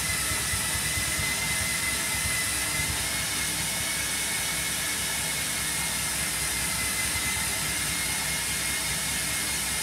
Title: Hotpoint Smart Tech Washing Machine Eco Cottons Noisy Spin - #shorts